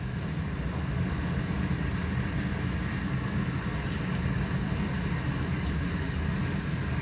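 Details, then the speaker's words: Siemens dishwasher with error E25, after the drain pump was refitted: steady low hum with even water rush, no grinding, rattling or surging, and no leak under the pump; correctly mounted, running normally. "là pour moi mon lave vaaisselle elle a l'air de tourner j'ai pas de fuite là-bas donc ma pompe est bien monter"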